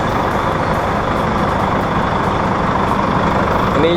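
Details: Volvo 400 hp tractor-unit diesel, just jump-started with a Spark JST24 after its two 180 Ah batteries went dead: steady, even rumble with no misses or knocks, holding a smooth idle, running normally.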